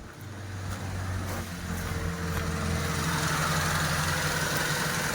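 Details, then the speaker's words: Old-model Mitsubishi Lancer at idle, AC switched on after fitting a universal thermostat in place of the discarded original; compressor that earlier would not run now engages, idle deepens and a steady hum joins in; compressor running normally. "Ayan, i-on natin yung aircon. Yun, parang tumunog na doon sa labas yung compressor mga kamaster."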